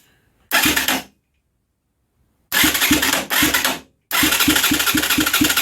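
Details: Huaniao HN125 Chinese motorcycle fitted with a used 125 Kymco engine and carburetor: three bursts of starter cranking at about three turns a second, never firing; cranks but won't start.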